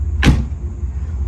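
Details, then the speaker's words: C4 Corvette door after top rail screwed down with two screws to stop it popping off: single solid thud as door shuts over idling engine, no window glass banging against fiberglass molding afterward; repair fixed the rattle. "Like, you can shut this door and it doesn't, you don't hear that window bang against that fiberglass anymore."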